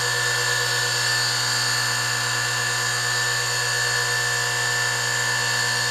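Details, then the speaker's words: Industrial sewing machine motor, before repair: steady piercing high squeal and whistle over low hum; worn 6203 bearings, lower one worst, upper squealing slightly. "geralmente o barulho vem com o chiado, quando o motor também vai parando ele fica chiando, sinal que é os rolamentos,"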